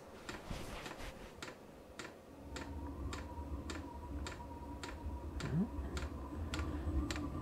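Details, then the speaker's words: Vevor diesel air heater after repair, heard at air intake: low steady burner rumble with fuel pump ticking evenly about twice a second, smoke clearing; proper ignition, normal running. "folks I do believe we have proper ignition at this time the heater has definitely started to make its normal sounds"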